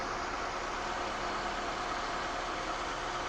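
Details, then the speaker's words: Car idling after a jump start, alternator output measured at about 13.9–14 V, judged good: even, settled idle under background hiss with no stumbling, knocking or belt squeal. "yes it's almost fourteen thirteen point nine which is good which is very good the generator works good"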